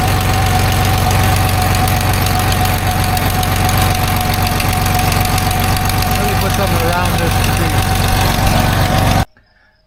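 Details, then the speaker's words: 1989 Dodge W100 with recently welded exhaust pipes, idling with suspected spot covered by a wet rag: sharp quick tick on each exhaust pulse, about four a second; suspected exhaust leak near manifold, unconfirmed. "So, I just covered this up with a a rag, a wet rag. I'm going to start it up and see what noise comes out now."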